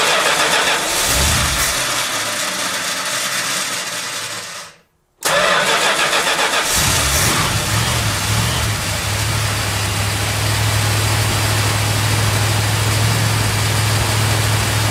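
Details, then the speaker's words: 1971 Chrysler New Yorker 440 V8 after fuel system overhaul (new tank, sender, pump, AVS2 carburettor), parked months: cranks, stumbles, catches on second try, settles to steady fast choke idle, cold; running smooth. "all right man it's good to hear that 440 go that choke idol is way too high for my liking so i'm gonna back that down real quick before the engine actually gets warm"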